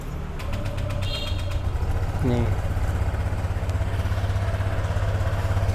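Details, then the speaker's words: Brand-new Honda Vario 125 scooter at 0 km, not yet delivered, listened to at the CVT and engine. Steady, even low idle with a smooth, unbroken beat and no knocks or rattles; normal idle. "Kita dengerin suaranya nih kalau dari CVT nya ya segini normal teman-teman"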